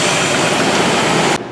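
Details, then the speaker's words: 1999 Chevrolet Suburban 5.7 V8 after new distributor gear, timing set about 2 degrees: harsh clattery mechanical noise over rough idle, "motor's hammering"; source not yet traced, mileage unknown, oil level to be checked. "the engine sounds terrible. Mechanically, it sounds like there's a lot of mechanical noise in it."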